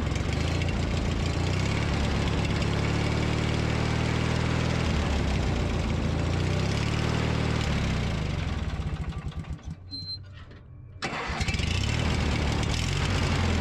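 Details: Briggs & Stratton 19.5 hp opposed-twin mower engine after starter replacement, cold start outdoors at 34°F: catches quickly, settles into a steady even low putter with a brief dip; healthy idle.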